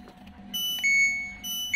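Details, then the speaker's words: LG Smart Inverter washing machine control board, which had shut off mid-cycle, powered up again on an external adapter; its 12 V line now measures a stable 12.33 V. Clean rising beeps in two short tone pairs; normal power-on chime. "Selanjutnya kita tekan tombol power di sini. Nah, sudah hidup lagi."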